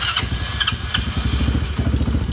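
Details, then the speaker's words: Youth kids' ATV, carbureted, cold start on choke with no throttle: a few cranking pulses, then catches into a fast, even popping idle that rises as it warms; clean cold start. "It's running. You'll slowly back off the choke as it warms up. You hear the motor start to idle up. And voila, it's running."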